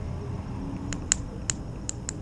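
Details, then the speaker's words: Fuel pump removed from a 2003 Ford E-350, bench-tested on 12 V from a jump battery: only five sharp crackling sparks in about a second with no motor whine at all; the pump is dead. "and nothing, only spark. So when I spark only, that means this is totally gone. Okay, if it worked, then you should hear a whining sound like zzz. But on this right here, you hear nothing."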